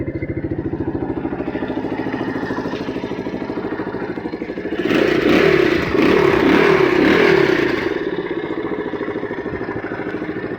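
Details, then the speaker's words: Honda XR200 after carburetor repair, starting on one press: single cylinder thumps evenly, picks up cleanly on a blip and drops back to a steady idle; running normally after the fix. "ayon one click umaandar kaagad 'yung motor. Isa pa kung one click. Ayan andar kaagad."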